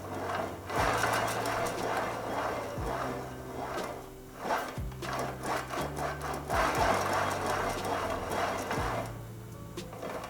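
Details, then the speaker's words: 1919 Famous James vintage bicycle, headset turned by hand: dry gritty rumble and rough clicking from the headset bearings, dry or worn; forks to be removed and the bearings replaced. "I mean, you can see how smooth they are, but you can hear how rough they sound. That's always a telltale that there's something going on in there, be it dry and unlubricated or an issue with the bearings being worn."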